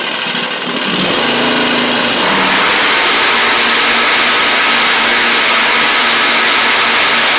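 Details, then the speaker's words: Huskee Supreme riding mower after replacing the bad, noisy left deck spindle: steady high engine buzz with an even blade whir and no grinding or rattling; deck spindles running smoothly. "had one here figured I'd swap it out real quick see if that helped matters any and it seems to have"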